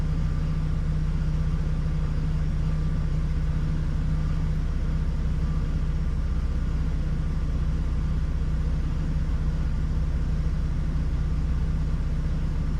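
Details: 2006 Hummer H3, still warming (about 138°F), just entering closed loop: low, uneven idle rumble with irregular lope about four times a second; rough idle, owner reports stalling when slowing; MAF sensor over-reporting, O2 sensors oscillating.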